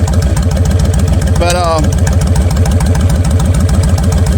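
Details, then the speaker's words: Kawasaki Vulcan 1500 Classic, 1500cc V-twin with Vance & Hines straight pipes, idling; loping lumpy thump about three and a half times a second with loud exhaust and mechanical clunks, considered normal for these bikes. Normal V-twin idle clatter. "hear all kind of noises riding this thing besides the exhaust makes you wonder if something gonna fly off of this but again that's just the way they are evolved in 1500 awesome bikes"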